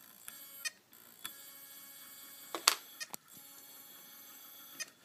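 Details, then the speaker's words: Uncovered hard disk whose spindle keeps locking up and is being freed by spinning it by hand. Thin high whine with irregular clicks and chirps as it tries to spin up and stalls; the head plate looks unstable. "own hold the dis sounds like it's trying to now it looks to me like the head plate is a little bit unstable"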